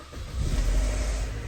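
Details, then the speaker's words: GM (Chevy/GMC/Buick) with broken switchblade key fob held together: short crank then catches and settles into steady low rumble; no-start was a security/immobilizer issue, sensor must see the key, not starter or battery. "it starts it's now running what it is is a security issue that's what's going on here"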